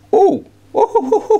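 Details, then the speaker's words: Orange CR120 solid-state guitar amp (200 W power chips), chassis out on bench: steady test tone cutting out and stuttering back as the inter-board connector is touched; intermittent sound dropout from a loose inter-board connector. "did you hear that i just said there was a problem these and i touched this and here's the problem already"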